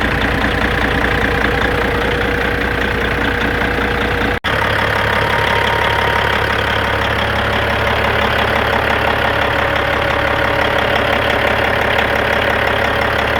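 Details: 1997 Peterbilt 379 with Cat 5EK diesel, after idler gear removal and cam moved, block possibly shaved; idles with rough rattly clatter, loose irregular knocking two to three per second; gear train noise suspected, missing tooth found on oil drain plug.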